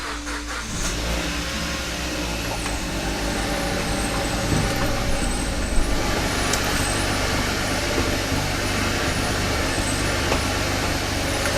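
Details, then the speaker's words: 2013 Kia Ceed GT, proper cold start after sitting just over 5 hours: uneven, stumbling rough idle with irregular dips; misfire persists, cause still not found. "as you've seen I haven't got to the bottom of why it is misfiring"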